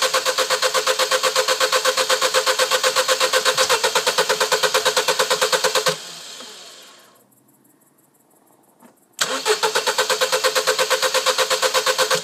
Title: No start